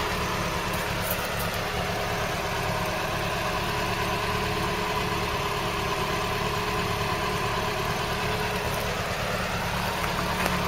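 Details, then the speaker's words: Engine in a restoration project, long unstarted, now idling smoothly and evenly with a soft regular beat and no misses, ticks or knocks; no smoke at start or while running, pressure holding. Runs sweetly. "listen to that engine though then that sound nice now you wouldn't think it's not been running since that amount of time"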